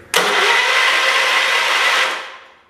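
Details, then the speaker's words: 1977 John Deere 212 garden tractor being revived, after fuel tank and fuel pump work: a steady starter whirr for about two seconds with no firing, then it winds down. Cranks but won't start, with no spark confirmed; the plan is to clean and adjust the points first. "no spark like i thought so adjust the points i guess that's where we'll start"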